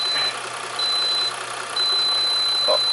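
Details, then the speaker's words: Reliable 3000 W inverter feeding a 1500 W heater: steady high-pitched beeps about half a second each, repeating then going continuous over a low hum, an overload alarm; output collapsed to a square wave. "it overloaded the overloaded with 1500 watts the heat this heat gun wasn't even on"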